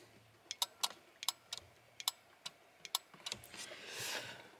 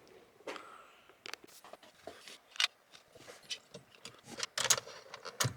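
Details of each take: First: BMW E30 flasher relay (turn-signal unit) with electrical faults: sharp dry clicks in an uneven, stuttering rhythm instead of a steady tick; opened up, its contacts are oxidised so they connect very poorly. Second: BMW E30 during electrical repairs, indicator relay tested: after some handling noise, a crisp, even tick-tick at about two per second; normal turn signal flasher clicking.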